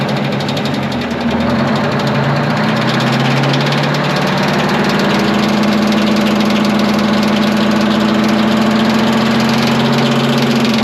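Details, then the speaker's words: Abandoned twin-turbo 12V71 Detroit two-stroke diesel generator just after first start: runs steady with rough uneven rattle about three times a second; fan contacting its shroud. "i'm like not totally sold on this whole fan shroud deal but yeah it's making some noise oh yeah it's unhappy about my life choices"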